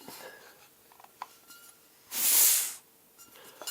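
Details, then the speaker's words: Mid-1990s MSR Whisperlite International 600 stove, older gray fuel pump after maintenance: strong, smooth hiss of air under a second as the valve releases; much more air than before servicing. "and so when I go and release this we should hear air coming out of"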